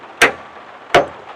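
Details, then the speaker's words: Ford Bronco, cold no-start, tested with replica starter switch rig; two sharp heavy clunks about 0.7 s apart with nothing turning over: solenoid snaps shut but starter never cranks. "Push the starter button, I get a loud kerthunk from that solenoid."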